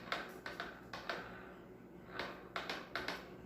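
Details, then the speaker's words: Marble saw without disc, turned backwards by hand: crisp dry ratchet clicks in short bursts, like a bicycle freewheel, brushes contacting; normal, nothing wrong. "e o barulho da catraca quando ele gira ao contrário que faz o barulho e as escova o contato das escovas param catraca ao contrário"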